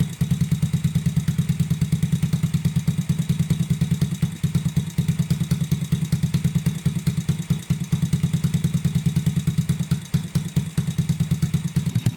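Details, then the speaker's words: Honda Grom clone single-cylinder idling after a valve adjustment, idle turned down from a little high: a steady, even, low putter at about three firings a second, no ticking, no exhaust leak felt. Normal healthy idle. "It is idling. So we have a running ground clone right now."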